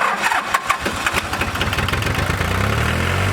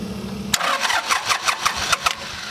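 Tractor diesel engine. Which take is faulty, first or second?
second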